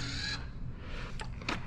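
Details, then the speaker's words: Fisker that won't charge: brief electric whir then sharp clicks as the charge-port lock actuator pin moves in and out but never latches; contactors also heard clicking. "it's the pin is going in and out but not locking."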